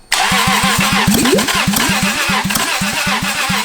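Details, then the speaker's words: Toyota 2JZ engine removed from a Lexus, run out of the car on a rigged fuel pump and ECU wiring: it fires up and settles into a hard, regular knock about four a second over the running note; really bad rod knock from worn rod bearing. "Now, I don't know if it'll run. It has really bad rod knock, but we're gonna try."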